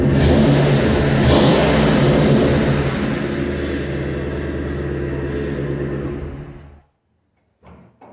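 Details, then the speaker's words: Ford/Mercury Grand Marquis 4.6 V8, lifted, misfiring after an off-road water crossing, with coil issues: pulls away with an uneven, lumpy beat from a dead cylinder, like a big cam. "yeah this thing's definitely down a hole on the plus side sounds like it's got a big cam"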